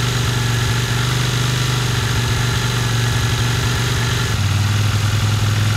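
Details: 1982 Honda CX500, neglected for years: lumpy, uneven low idle that sags as if about to die; carburetor not working properly, plugs on both sides black (too rich), cleaned and gapped; owner suspects removing the idle screw, cause unconfirmed.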